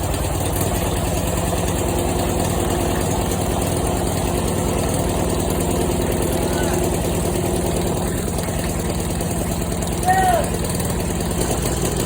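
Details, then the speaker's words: Snapper walk-behind mower, replacement single-cylinder engine just swapped in for a blown one, carburetor and wiring redone, low on oil and smoking at first start: steady, even idle with regular firing, no knocks or misses. "oh my god well uh it runs apparently oh shoot oh I need a minute after that one"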